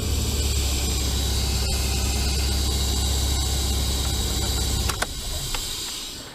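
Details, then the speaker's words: 2001 Ford Escape idling with a loud, steady air-rushing hiss that fades at shutdown; brake booster failing, owner believes a seal in the booster area is leaking. "I'm gonna try and start it one more time and see if you hear that noise it should be an error rushing noise"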